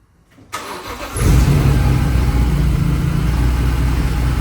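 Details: BMW E46 M3 S54 engine, first start after Vanos rebuild (Beisan parts, upgraded exhaust sprocket, oil pump disc): brief crank, catches within a second, deep steady even idle with no knocks or ticks; healthy.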